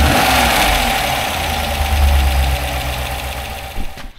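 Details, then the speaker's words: GM 6.2 V8 (EcoTec3), first start after fixing the missing battery-to-engine ground: strong even run with no knock or rattle, easing down before a clean shutoff; normal running. "should start now though I think we're good okay let's trank this thing over"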